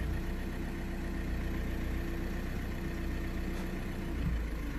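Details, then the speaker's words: 2009 Audi A3 8P 1.6 TDI diesel, previously misfiring with codes P2463 and P0202, limp mode and DPF light, engine shaking: now idles smoothly with an even low rumble and no missed beats after repair. "thing I can tell you and you might be able to hear it is not miss farming anymore he's running steady as luck"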